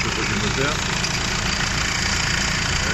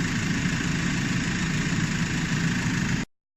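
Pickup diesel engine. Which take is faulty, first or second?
first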